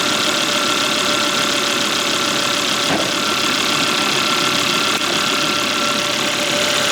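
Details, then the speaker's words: Volvo (S60/S80/V70/XC70/XC90 family) engine at idle right after replacing the drive belt and its tensioner, done because the tensioner pulley made a slight noise; now an even, steady idle with no squeal, chirp or rattle: normal idle after repair. "Så där. Ja, det här funkar ju jättebra."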